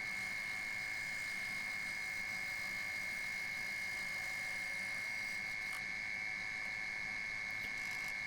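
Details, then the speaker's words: Wood lathe turning a 21-inch Lichtenberg platter blank at about 800 rpm, round nose scraper cleaning CA glue fill: thin steady high ring near 2 kHz throughout, tool rest vibrating from overhang. "I will say that tool rest is still vibrating so I'm gonna have to weld some more support bars onto it or something a little bit annoying"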